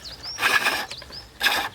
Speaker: sound and you'll get long shavings coming off that will tell me without looking that I've got down to a cylinder